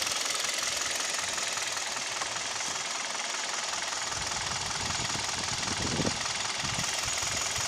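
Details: Kia G4KD (Hyundai/Kia Theta II) petrol engine: light fast metallic knocking about three per second at idle with vibration, also knocks at 1500 rpm and makes noise when pulling away under AC and heater load; piston knock at idle.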